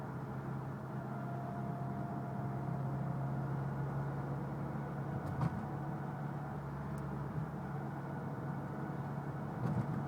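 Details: Mitsubishi Evo X cruising: steady low hum with a thin whine from the front end, heard only under load and loudest on light load around 45 mph. Owner suspects transmission or transfer case.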